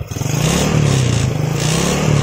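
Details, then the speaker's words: Yamaha Jupiter Z carbureted single, carb already cleaned but still stumbling: revs unevenly because a leaking or failed auto fuel tap sends petrol through the vacuum hose straight into the manifold; black plug and heavy fuel use. "Bensinnya itu masuk ke selang vakum ini ini yang menyebabkan motor Jupiter set ini bbet yabet terus busi hitam boros banget bensinnya"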